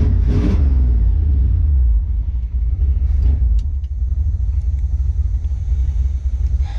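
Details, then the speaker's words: 1971 Chevy K10 4x4 pickup, small-block 350 V8, just restarted after sitting 10 years, choke on, smoking, fuel leaking: steady idle, no ticking or clatter; valvetrain quiet and healthy. "There's no clapping from the valve train, which is good."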